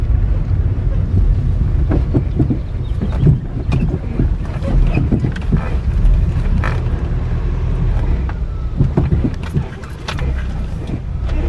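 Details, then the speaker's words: VW New Beetle with 150K+ miles driving: irregular dull thumps and clunks over heavy road and wind rumble, more from the passenger side, from worn front strut top mount bushings that distort and leave a gap; fixed by replacing the struts and bushings. "There is a lot of clunking more from the passenger side, but left"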